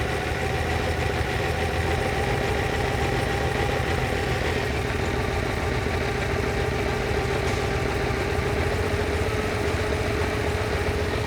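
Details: Lamborghini 350 GT V12, chassis 109, during restoration, warming up while carburettors are balanced and mixtures adjusted: steady, even idle with a fine smooth beat and no misses or hunting; carburettors sound well balanced.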